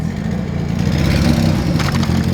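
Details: Nissan S13 Silvia long unused, first start: loud uneven low rumble with lumpy unsteady idle instead of clean idle, unmuffled exhaust; engine running rough, cause unconfirmed, possibly still cold and needing to warm up.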